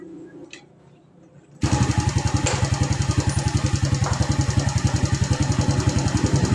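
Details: Yamaha Vega ZR motorcycle after a carburettor repair, with the settings adjusted and the choke part altered, started up: quiet until the engine catches, then a steady, even idle with regular firing pulses and no knocks.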